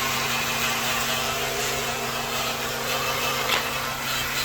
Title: 2007 Nissan Maxima transmission whine noise po746 po826 p1778 po868 warranty inspection Karcheckz